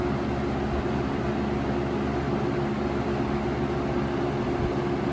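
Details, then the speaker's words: 1996 Lakewood 223 3-speed 20-inch box fan, third-gen, before restoration, on medium speed: smooth even rush of air with a soft steady low hum, no rattles or wobble; pleasant sound, good airflow. Normal fan airflow. "the sound is Pleasant to listen to a good amount of a"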